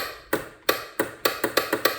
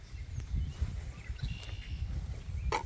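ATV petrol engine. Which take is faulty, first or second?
first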